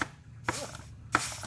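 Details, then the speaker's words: Two short air blasts, each with a soft thump and no lingering hiss, while air-checking the overdrive piston on a 4L80E transmission during rebuild; seals hold with no leak. "you can hear it working seals up really nice we don't have no leak there"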